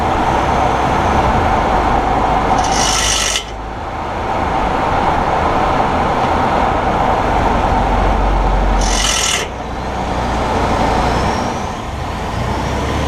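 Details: 2018 Ford F150, GoPro mounted up close while driving: steady gravelly rasp from the front end over road rumble, about four scrapes a second with louder bursts; owner suspects the IWEs that engage 4WD.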